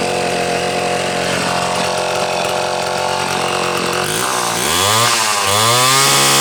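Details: Homelite C-72 two-stroke chainsaw, muffler stud upsized to 1/4 inch: crisp steady buzz rising cleanly through two quick throttle blips and settling back; sounds pretty good, runs strong.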